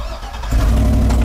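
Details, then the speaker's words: Circa-2010 Chevy truck with a no-crank/no-start, suspected bad ECM or CAN network fault: after trying several keys, one key works; brief crank, then the engine catches cleanly and settles into a steady even run. Normal engine start. "one key works three of them don't hey it runs we're done"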